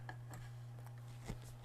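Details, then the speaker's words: Miller and Kreisel MX-125 amplifier with distorted sound and hum/buzz: a quiet, constant low hum at mains frequency, plus faint handling ticks. Main filter capacitor failure is suspected, not confirmed. Amplifier hum. "I still have a hum maybe you can hear it and I've got some audio going into it right now"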